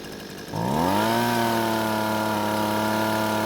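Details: Husqvarna leaf blower that stalled at idle, after turning the carburetor L (low-speed) screw a quarter turn counterclockwise to richen: engine catches, climbs quickly and holds a clean, steady high-pitched buzz without surging or dying.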